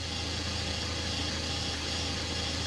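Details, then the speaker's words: 2019 Chevrolet Cruze RS 1.4 L turbo at about 70,000 miles, transmission leaking and nearly empty of fluid: steady running with a loud, hissy whirring over the engine like a straining pump; transmission failing. "Yeah, now it's just weirder. I mean, that really sounds like a pump."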